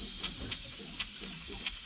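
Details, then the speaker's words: Heating system header tank overflowing, refilled after a new ball valve was fitted: auto air vent gives wet hissing with sharp spits, passing more water than air, so it is to be replaced. "I'm going to put new oil spray vent on this as well, just cuz it's peeing more water out than air."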